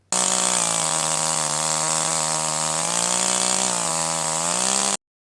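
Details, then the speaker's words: Older manual chainsaw, H screw slightly rich while being tuned by ear: wide-open no-load scream with slight burbling hesitation and small pitch dips, four-stroking at full RPM that smooths out when loaded in the cut. "Noticeable difference at this setting is the four stroking that you hear at full RPM. In this case, when the saw is running wide open with no load, you hear a slight hesitation."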